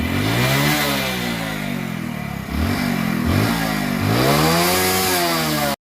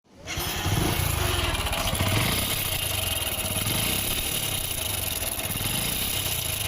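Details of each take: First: Hero Splendor motorcycle engine after repair, which replaced a worn timing chain, worn wheels and worn camshaft bearings. It runs evenly and revs up and down a few times with no tapping or rattle: normal engine running. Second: Hero Splendor motorcycle engine starts into a loud, rough metallic clatter; on opening, the cam sprocket (wheel) was completely worn and the timing chain gone, with the side cover's oil leaking and full of dust.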